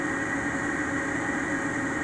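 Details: Newly replaced Ametek 117104-01 furnace draft inducer motor, previously noisy and not starting: smooth, even hum with a steady whir and no scraping or rattle; the blower spins freely and sounds healthy.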